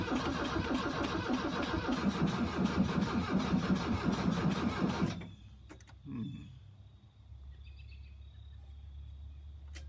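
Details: 1982 VW Vanagon Westfalia after new battery, glow plugs and starters: starter grinds the engine over sluggishly, about three compressions a second, then stops without firing; slow cranking, battery suspected still weak, jumper cables next.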